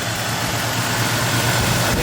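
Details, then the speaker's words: High-mileage 1996 Toyota 4Runner six-cylinder with a stored code, possible bad plug on cylinder six suspected, at idle: smooth even hum, no stumble or miss; engine sounds healthy. "idle is definitely very smooth i will look up the freeze frame data on that code when it was recorded under what conditions this engine doesn't seem to be any problem definitely"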